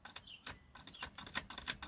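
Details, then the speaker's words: 2004 Suzuki Bandit 1200 with the shifter-side cover off and engine not running: light, irregular clicks as the shifter tries to actuate the shift cam but won't drop into first; fault in the shift cam and shift shaft assembly. "try to shift down into first and nothing it just won't go you can hear it trying to actuate the shifter cam"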